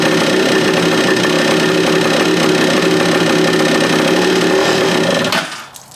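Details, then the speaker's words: Free stand-up jet ski two-stroke on a stand, water hooked up: loud busy idle holds fairly even about five seconds, then falls away and dies; cooling working, dies on throttle. "I mean, she's idling pretty good. The coolant system's working."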